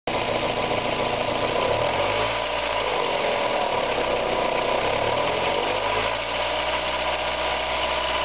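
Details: Mazda Miata engine ticking fast and evenly over a steady idle, very loud as revs drop after running at high rpm. Owner wonders whether it is a hydraulic lash adjuster (lifter) tick, rod knock or bearing failure; cause not confirmed.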